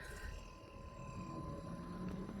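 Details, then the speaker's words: 12/24V T36 freezer, temporary fix with the red and orange wires cut and joined to bypass the thermostat and keep the compressor running constantly: steady low compressor hum, then the condenser fan kicks in and holds steady. "There's the fan. So that's kicked it in."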